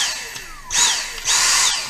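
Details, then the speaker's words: Dyson SV03 cordless vacuum, floor head: steady high motor whine with two short surges as the soft roller tries to spin then stalls and won't turn consistently; the soft roller's drive motor has failed, head replacement advised. "you can just see that that's trying to work the roller is just trying to work but obviously it doesn't work consistently"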